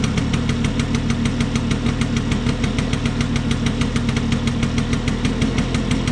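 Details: Vespa P200E two-stroke, restored after 30 years in a shed, after fixing air leaks and passing a leak-down test: quick even popping at steady idle, about three beats a second, no hunting or stalling, which it wouldn't do before; normal idle.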